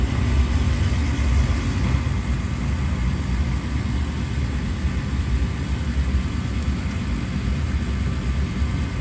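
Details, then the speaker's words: Gas furnace that was blowing cold air, after pressing in switch to reset it: steady even burner and blower roar, no clicks, booms or surging; gas working, switch needed resetting or replacing. "so now you can hear the furnace and the gas is working so that's going to tell us that that switch either needed resetting or needs replacing"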